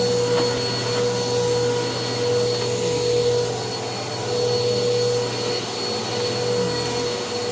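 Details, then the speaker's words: Bissell PowerClean OnePass (35831) vacuum, used Goodwill unit, running after its clogged filter was cleaned and airflow unblocked: strong airflow roar with a constant thin whine on top. The motor is still noisy; owner suspects bearings or dirt in the impeller. "so now that the air flow is not blocked I can tell there is still a little bit of noise coming from the motor I'm not sure if that's bearings or if that's or if that's uh actual dirt in the impeller"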